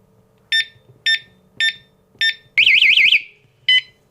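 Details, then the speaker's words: FPV-Power kayak lock alarm: four short high beeps about half a second apart, then a warbling siren, then one more beep; motion alarm triggered because the lock was moved before arming was confirmed with the middle button. "There we go. I moved it before I confirmed with the middle button. So let me just do that again."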